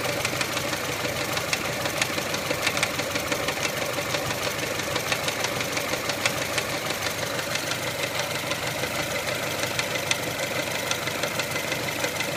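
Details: 1999 Mitsubishi Pajero iO with 4G93 engine at steady idle: sharp, light tapping knock about three per second above the engine hum. Owner suspects the wobbling crankshaft pulley; not confirmed.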